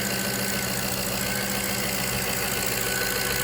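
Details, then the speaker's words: 2003 Jaguar XJ8 (X308) V8 after replacing bank 2 upstream oxygen sensor (P1647), not yet at full temperature, some coolant lost: even, steady idle hum with smooth unbroken beat, no misses or knocks; idling fine. "But it's idling good. It hasn't come up to full temperature yet."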